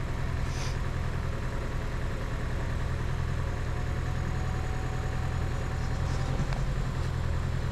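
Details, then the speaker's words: 2011 Chevy Cruze with a brand-new engine that failed within ten minutes, after a turbo installation: low steady idle that stumbles with a clear skip; misfire from internal engine failure, later confirmed by leak-down and compression checks. "listen to it it starts up maybe there it is skipping here"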